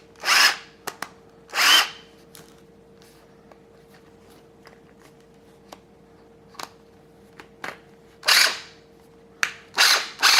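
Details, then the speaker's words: Snap-On CBR 30 12-volt cordless drill with a broken forward/reverse selector switch: short bursts of spinning up give a harsh, gritty whirr in both directions, a rough motor or gearbox; owner suspects it needs lubrication. "doesn't sound good either way it does it probably some some lubrication"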